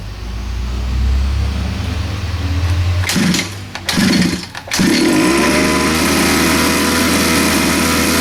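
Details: 47cc Chinese pocket bike two-stroke on premix, after cleaning carburetor jet: buzzes along, dips and stumbles briefly midway, then steadies to an even run; normal running.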